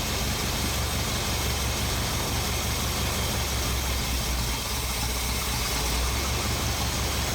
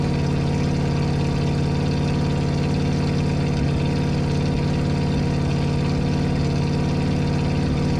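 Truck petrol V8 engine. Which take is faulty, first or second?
first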